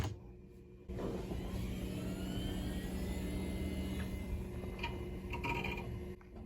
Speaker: I know of a quick way to you know start the hard drive back up open the Start menu